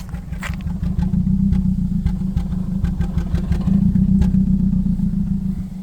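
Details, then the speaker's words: 2010 Nissan Cube brought in limp mode, now driving without limp mode but shaking: under light throttle the engine note rises and falls unevenly, revs hunting. Fuel delivery seems unsteady; dirty injectors suspected, plugs likely needed, not confirmed. "So the fuel's not steady. So maybe the injectors are dirty."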